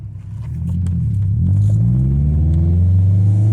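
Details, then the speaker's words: 1995 Honda Civic EJ coupe with cheap eBay exhaust muffler, after insulating its perforated core with fiberglass to remove a raspy sound from about 4,000 rpm: deep, smooth exhaust note climbs evenly through a quick pull, no rasp or buzz; normal exhaust tone. "it sounds pretty good. I didn't hear any rasp during that quick pull."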